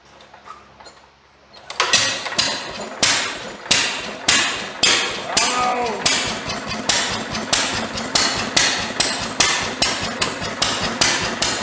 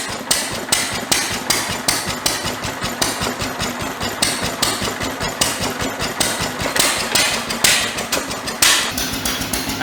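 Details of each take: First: IHC LB 3–5 HP International engine driving a press, hard to start: slow steady cranking with fresh spark plug, and it fires only once and won't keep running; cause not confirmed. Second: International Harvester LB 3–5 HP hit-and-miss engine driving a press, restarted easily after a spark plug change; sharp regular firing bangs about once a second with coasting gaps, no misfires. Owner suspects weak magneto needs a brand-new plug. Normal running.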